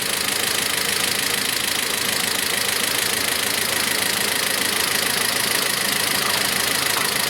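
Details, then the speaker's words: Toyota Prado 150 diesel with code P0014, at idle: a sharp, regular tapping at about three per second. Almost no oil is reaching the cylinder head despite a half-full level, causing top-end knock from oil starvation; a clogged filter screen is suspected. "масло практически не идет ребята масло не идет в головку оно есть но мне в нужных объемах"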